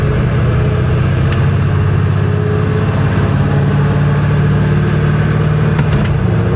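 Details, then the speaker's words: 1966 Chevrolet Impala, salt-water flood car, rear differential suspected salt-water contaminated, axle bearings expected bad: on test drive, steady low road drone and engine hum while cruising, no whine or howl with speed; rear end sounds quiet and healthy. "Rear rear end doesn't sound awful."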